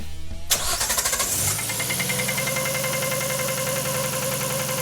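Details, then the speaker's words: RB-powered (GT-R engine) Datsun 240Z with smaller modern turbo and ITBs, on the dyno after cam gear adjustment: engine cranks, catches and idles with a light uneven knock, louder after the cam change and persisting when reverted; cause unknown. "yeah we can hear a bit of a knocking sound we're just trying to determine why that is or what that is because we adjusted the cam gear and it got louder and then we put it back to where it already was and now we can still hear it"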